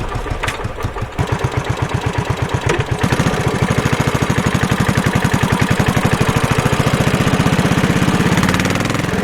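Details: Suzuki Savage 650 single-cylinder motorcycle deliberately accelerated at low rpm in too high a gear: slow, heavy chugging thumps and jerky snatching while lugging under load.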